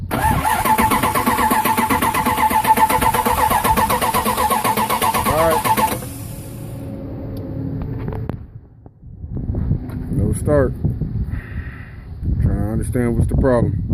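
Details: Dodge 318 no start, no spark: starter spins engine evenly at four beats a second for six seconds without any firing, then stops; cranks but does not start.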